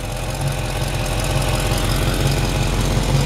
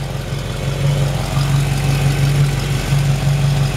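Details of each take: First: Cold 1973 Camaro V8, recently rebuilt, Edelbrock Performer intake, long-tube headers, mild cam: deep idle with a slightly uneven low pulse and hiss; owner suspects a small exhaust leak at the donut gasket. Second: Cold 1973 Camaro V8, recently rebuilt, Edelbrock Performer intake, long-tube headers, mild cam: deep even burble with slight cam lope, steady beat, no tapping; healthy cold idle, owner says it runs great.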